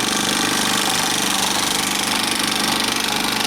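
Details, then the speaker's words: Bell & Howell 2575 16mm Filmosound projector, side panel off, running in drive without film: fast rough clatter of three or four beats a second over motor hum; needs two nylon gears, lower sprocket drive gear and worm gear, suspected worn. "It's really a shame too. I mean, it actually doesn't run too badly, but I'm afraid to thread film into it because Lord only knows what'll happen."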